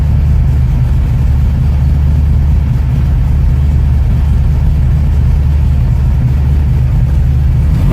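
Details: 1969 Ford Mustang V8, in neutral, first start in about six months: deep, steady idle that picks up cleanly when revved, with no stumble or hesitation; running healthy.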